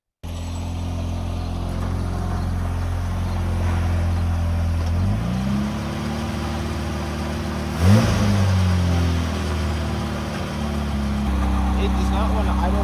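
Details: Pontiac Fiero project car being started after motor treatment was added: the idle hunts and stumbles, sagging and catching around quick blips. Rough, unsettled idle that is very smoky and reportedly improving as the treatment clears out deposits.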